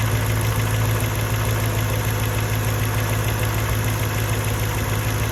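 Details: Mercedes E55 with stage 1 remap and full engine rebuild, cold start; once revs drop, lumpy uneven idle like a misfire but no codes stored; plugs, coil packs and leads changed within last 4k miles/1 year; cause unknown. Rough idle.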